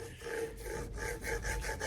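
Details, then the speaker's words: 2001 Trek 5900 Cane Creek headset turned by hand during service: dry, gritty rasping rub with each turn from the corroded, worn-out lower bearing; the top one seems okay, but both are being replaced. "you hear that bearing is toast."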